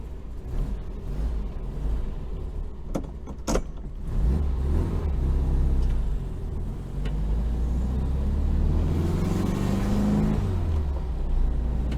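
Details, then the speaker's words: 1966 VW Type 3 Fastback, 6-volt system, mileage unknown, after suspected starter trouble: a low, steady engine drone rises and falls smoothly with speed while driving, with no knocks, grinding or crazy noises. "And I don't hear crazy noises. So I'm kind of excited about that."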